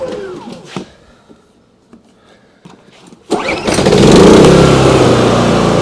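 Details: Briggs & Stratton P3000 PowerSmart generator, after fuel pump replacement and tune-up, reassembled with fuel on and choke set: a few quiet clicks and pulls, then it catches at once and settles into a steady, even run; starts normally.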